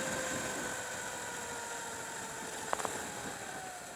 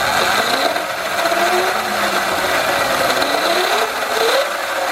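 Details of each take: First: Sur Ron with Luna Cycle 219 primary chain kit after front sprocket re-shimming, chain previously loose: under regen braking only a faint smooth whine easing as it slows, no chain slap or clatter; drive now quiet. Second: Sur-Ron electric bike with Luna Cycle 219 chain kit: motor whine sweeping up and down with rough, gritty grinding and rattle from the chain drive; the front sprocket is worn saw-blade sharp despite re-shimming; worse under load.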